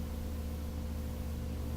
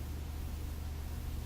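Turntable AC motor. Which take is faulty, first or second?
second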